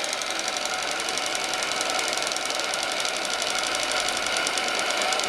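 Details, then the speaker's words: RC tugboat Paterson steam plant, AL5 engine with homemade one-liter boiler, run slowed right down: fast, even light ticking and hiss, regular beats, no misses, fairly quiet; normal slow running. "Et il fait pas trop de bruit, écoutez. Le moteur vraiment."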